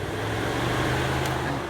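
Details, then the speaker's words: Car radiator cooling fan powered with a test adapter plugged into the fan relay socket: steady low hum and airflow rush with no rattle or scraping; fan wiring and fan motor are good, running normally. "I'm doing is I'm toggling this way so the wires going to the fan are good and the fan is good as well"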